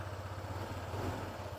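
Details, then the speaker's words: Honda PCX160 scooter just after an oil change at about 1,700 km, started to circulate oil and lightly revved: even low-pitched firing, no knocks or rattles, feels smoother after the change. Normal idle and light rev. "Medyo i-rev nyo lang. Parang pagka bagong change oil, parang smooth ng takbo eh, no?"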